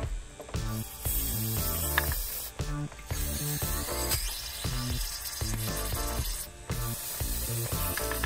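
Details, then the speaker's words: BMW camshaft actuator solenoid tested on the bench during cleaning gives sharp, repeated clean clicks, showing it is working properly. "Ah bah là, il claque bien. Là. Vous entendez? Là, on entend bien claquer là. Là, il fonctionne bien."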